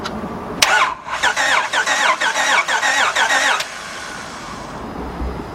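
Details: 2006 Honda Odyssey 3.5 that quit while driving, cranks but won't start: starter cranks evenly, slightly quick, for about three seconds with no firing.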